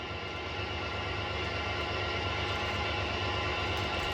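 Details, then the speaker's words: Auction-bought Prevost Vantare Featherlite motorhome at idle: steady airy hiss over the diesel idle that sounds like the air dryer purging but is the air system safety pop-off valve blowing off, possibly the one on the dryer. "You hear it? That wasn't the air dryer. That was a blow-off valve."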